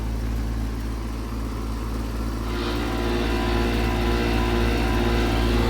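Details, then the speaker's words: 2015 Carrier Comfort 4-ton heat pump outdoor unit possibly damaged by a fire, still cooling. Loud, heavy low drone with a steady throb about four times a second that grows slightly. Sounds terrible; unit to be replaced. Abnormal loud running noise. "Listen to this thing. That sounds terrible. Still cold surprisingly"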